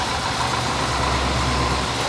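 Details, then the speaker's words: Square body dually V8 with a newly fabricated full exhaust replacing a badly leaking one: low, smooth, even idle with a soft steady burble, no ticking or puffing leaks; exhaust quiet and sealed. "that's definitely a 10. it has to go that's good stuff that's a hundred times better"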